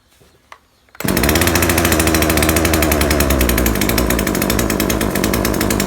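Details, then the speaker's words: Neighbour's chainsaw that stops revving up after a while of use, unchanged after a previous tune-up: it fires and runs with a steady rough rattle but bogs and won't rev up; the mixture seems too rich or thick. "แต่มันมีอาการเร่งไม่ขึ้นจริงด้วยครับคนจะเร่งไม่ขึ้นมันเหมือนมันเหมือนน้ำมันหนาครับ"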